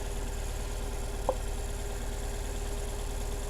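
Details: Saturn S-Series with over 220,000 miles, cold January morning, P0340 code, check engine light, unburnt-fuel smell, running on 2 cylinders; lumpy low idle with a sharp snap as a spark plug wire is pulled, note unchanged, dead cylinder misfire.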